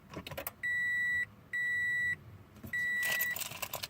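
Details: 2013 FR-S push-button start, clutch pressed, key fob in car: green light, button blinks yellow, and a steady chime sounds in bursts with no cranking. Suspected key-fob problem; it tried to start after the keys were removed and returned.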